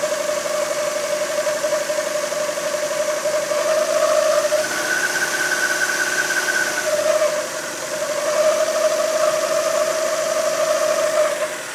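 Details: Mazda MX-5 NB 1.6 after Loctite repair of a crankshaft gear with worn key and keyway, idle slightly raised: steady mid-pitched whine around 1500–1800 rpm, briefly jumping higher; odd noise, cause unclear.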